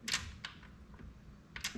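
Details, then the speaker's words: Kawasaki Bayou 220 ATV, newly wired neutral safety relay for the electric start, key on, engine off: crisp little clicks as it shifts from reverse back to neutral; relay energizes and closes normally. "There's neutral. It's closed again because the relay's energized."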